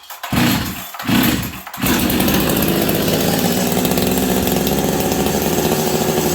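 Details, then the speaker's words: Husqvarna 385 chainsaw that sat for years: two short throttle blips, then a steady, flat drone that never reaches full revs, bogging as if the chain brake were stuck; air leak suspected. "oh weird now friends Almost it's like the chain breaks stuck on on this thing but it's not interesting"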